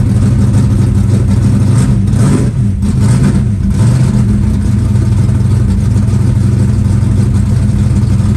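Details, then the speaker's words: Green Chevelle, started at about 20°F in snow after priming the fuel pump. Deep, steady rumble settles quickly into an even idle with no choke. Normal, healthy cold idle. "yeah it's already idling no choke told you I told you to the caming 10c cry right here how about that how about that for a cold start"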